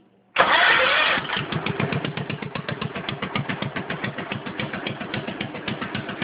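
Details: Stock 10hp Cub puller tractor single-cylinder, running again but still leaking a little oil at the crankcase breather: brief starter whir, fires and settles into an even, steady thump at idle; healthy start and run.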